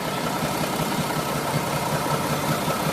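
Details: Mack E7 diesel dump truck after a new injector failed to fix it: idle with a loose, uneven knock about every third of a second as a cylinder misses; air seen in a cracked fuel line, cause unconfirmed.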